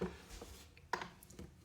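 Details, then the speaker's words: Harmonium bellows pumped: sharp woody clicks from a loose bellows arm whose corner may hit a neighboring piece; fix by bending it inward or removing screws and adjusting. "one is when this arm might be a little bit loose and so when the bellows are pressed in here"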